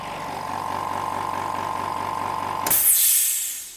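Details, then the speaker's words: Hyundai SAC 55751 silent (59 dB) workshop compressor filling to its 8 bar maximum in about 1 minute, recorded standing right next to it; quiet, even motor hum, then a sharp hiss as it cuts out at pressure; healthy running. "hopefully despite the compressor working and uh it takes about 1 minute for it to completely fill up the pressure"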